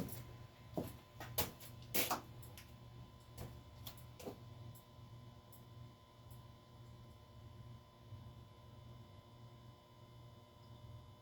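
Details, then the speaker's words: 48-inch Tatung ceiling fan (motor like an Encon Princess but thicker) running in reverse on low, slower than forward: a quiet, steady low hum with no rattle or scrape under road traffic and fluorescent-light noise; normal running. "yeah I believe the low speed well pretty much the fan itself just seems to be slower in Reverse I always kind of find that interesting how some fans tend to have a different speed when they're in a different direction"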